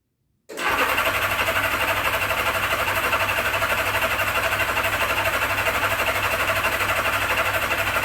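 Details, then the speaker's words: 1979 Honda GL1000 Goldwing on its first start after a carburetor rebuild, full choke: steady starter cranking at about four compression pulses a second for eight seconds without firing, while the fuel pump refills the dry float bowls. Extended cranking. "it's going to take us a couple seconds to fill the bowls up because it's got a fuel pump on it and the bowls are completely dry right now so it'll take a couple cranks to get the fuel in the carburetors"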